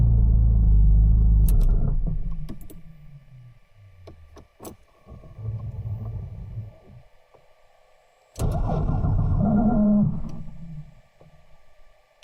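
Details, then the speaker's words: Porsche 911 996/997 Turbo, starter failing and needing two or three attempts to start, no error codes: two short rough, grinding cranking bursts without catching; owner suspects the starter, later replaced with a new Bosch unit. "and now I'll take a video from the outside so hopefully you can uh hear how it sounds when the starter is failing"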